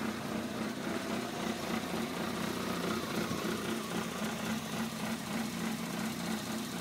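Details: 1993 Toyota Corolla cold start at 7 degrees: uneven, stumbling, surging rough idle. It only happens below freezing, with no check engine light, and is less bad on 93 octane. It clears after about 45 seconds.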